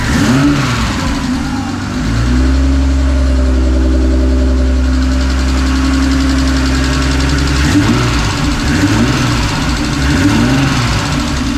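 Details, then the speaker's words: Mazda MX3 with freshly built forged 2.5 engine, custom cams, billet rods and pistons, new turbo kit, first start with fueling cut about 30%: held at steady high rev then back to smooth idle; turbo sounds healthy. "yeah turbo sounds healthy"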